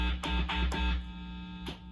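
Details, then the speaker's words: CME Jazzmaster series-parallel pickup, pole pieces not chassis-grounded: steady low mains hum with buzzy overtones, crackle bursts when touched; cause is the missing chassis ground, as the other coil side can't go to ground; grounding the pickup backs reduces it. "So I don't think it's possible to completely get this thing to quiet down. And the reason for that is that we're really not able to run that other side of the coil to ground."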